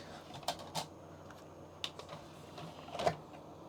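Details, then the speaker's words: Original Xbox, TGM 600 DVD drive, burnt disc: scattered sharp clicks and brief whirrs as the head seeks repeatedly without settling; drive struggling to read, suspected dislike of burnt discs since scratched and original discs work, not confirmed. "I think it's still struggling to read it so maybe original Xboxes at least with these drives which is the TGM 600 um just don't like certain burnt discs"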